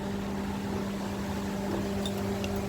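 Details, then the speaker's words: Mercedes-Benz W219 CLS 350 just switched off; steady, even electric radiator fan hum continuing after shutdown, then cutting off cleanly; normal fan run-on. "there you can hear the fan running in the background still"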